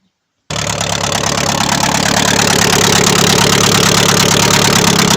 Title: Шевроле авео. Стук в моторі🤔